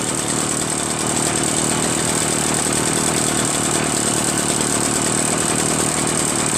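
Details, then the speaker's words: Echo PB-403T two-stroke backpack leaf blower, reassembled after carburetor cleaning, magneto reinstall and kill wire removal: steady even buzz with high fan whistle, no stumbling or surging; normal idle. "How about that, huh? This thing works great now. I'm going to put the stuff back. So I put everything back together again. Honestly, it runs pretty well."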